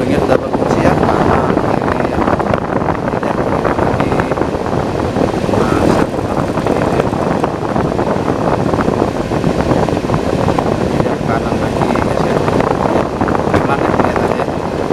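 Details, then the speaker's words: Honeywell air cooler after fan blower repair, powered on: strong steady rush of air with no knocks, rattles or wobble; blower spinning freely and running normally. "Setelah itu saya tekan tombol power Tatsuya terdengar kencang sekali ya"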